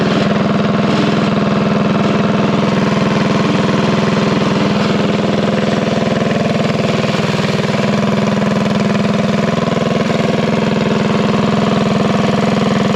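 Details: Revived unknown-history junk single-cylinder go-kart engine held at a fixed fast idle around 2200 rpm during break-in: a smooth, steady hum with no knocks, misses or rattles. It sounds healthy.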